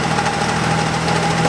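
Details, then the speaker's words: BMW E36 3 Series on a test drive just after clutch replacement and bleeding, fuel pump relay jumped to run: loud steady metallic bell-like ringing over the running engine; gears won't engage and the transmission is suspected to be done. "Now what's that horrible noise? Sounds terrible."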